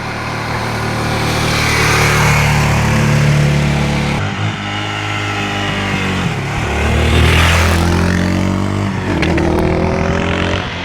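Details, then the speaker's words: Cheap used Suzuki DR 600 single-cylinder in need of a carburettor overhaul, finally starting. Revs rise and fall on their own, hanging and surging instead of settling to idle; engine surging, still needs adjustments. "Alors comme vous entendez, elle a encore quelques petites modifs à faire, des réglages."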